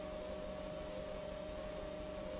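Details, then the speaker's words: Tasty Chips ECR-1 synth module at idle with nothing playing: constant hiss, thin steady whine and low hum. The output is far too noisy, a signal-to-noise ratio fault, and the owner will probably send the module back. "this is on listen to this that's nothing going on right now this is how noisy that bastard is"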